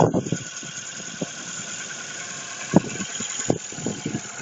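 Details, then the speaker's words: Ford Focus 2, 1.6 (115 hp), cold start at +6 °C: irregular sharp knocks over a high squeal, quieter once warm. Cylinder block damaged by a piece of spark plug ceramic dropped into the cylinder. "Двигатель заведен на холодную температура +6 градусов Такой звук пока мотор не прогреется. На прогретом работает тише"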